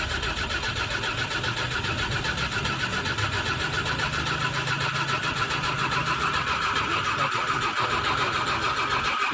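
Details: Diesel truck after bleeding air from the fuel system: steady starter cranking at about three to four turns a second with a high whine, with no clear catch yet.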